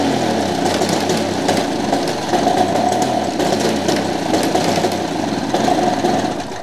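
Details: Vintage Motobecane Mobylette Cady two-stroke moped, bought as non-runner, spark present but timing off, points cleaned: buzz keeps stumbling and breaking up under load, four-stroking, worse uphill; needs tweaks, cause unconfirmed.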